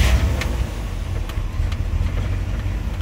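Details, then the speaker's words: 1971 Cadillac Coupe DeVille V8, cold, running slightly rich, with Flowmaster-style mufflers and resonators, heard from the rear: low, even rumble settling into steady idle with no stumbles, ticks or knocks; normal idle. "is nice and smooth sounds good from the back with the flowmaster knock-offs the guy put on here in the resonators so it's got a nice girl to it an idol"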